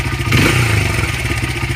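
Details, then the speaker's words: Honda CRF80 after carburetor air mixture screw adjusted to about one turn out; small single putters at a steady, even idle with no hunting or stumbling, unlike the rough, missing factory emissions tune. "Seems to idle pretty good. Not the rough way that the factory had it tuned for emissions, with 2 turns out, not enough gas."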